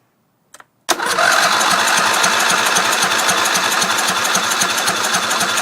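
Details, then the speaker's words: Briggs Intek racing tractor, stock throttle: cranks, then fires roughly and chatters only on gas poured down the intake; not getting fuel. A mouse nest was later found on the cylinder and cleaned out. "just pour a little tiny bit of gas down the intake fired nasty so still not getting gas but uh stay tuned it will run"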